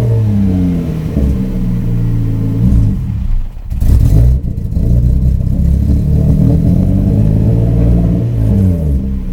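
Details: 1994 Subaru Impreza with an EG33 engine swap, intermittently losing power warm or cold with no check-engine light: pressing the throttle makes the revs drop, lumpy and uneven, as if missing on some cylinders. Misfire and hesitation under throttle.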